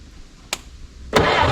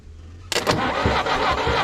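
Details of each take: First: 1964 Jeep CJ-5 after 30 years in a barn, engine freed with sludge, running old fuel with two-stroke oil mix: a click, then it catches into a rough, uneven run that barely keeps going, smoking heavily; first start after long storage. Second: 1964 Jeep CJ-5 engine, stuck after 30 years in a barn, with rust remover from the cylinder dripping out a holed muffler: brief cranking, then it catches and runs steady on all four, dies, and fires straight up again on the next crank; normal start and running.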